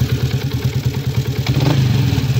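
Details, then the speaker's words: 2016 Yamaha Sniper 150 with stock cam chain tensioner: loose metallic rattle over the idle beat, rising with revs; slack cam chain from worn tensioner, temporary adjustment possible but replacement needed. "So halimbawa, inabutan kayo sa daan, ganito na yung tunog, pakinggan natin. So ganito pagbigay ng tensioner."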